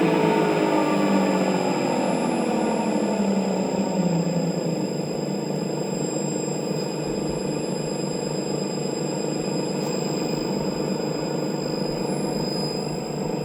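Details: TruHone HR8 honer motor giving a steady whir with a falling whine and a faint irregular knock underneath. A worn bearing is suspected, possibly corroded by moisture entering past the front cap seal (HR84202); not confirmed.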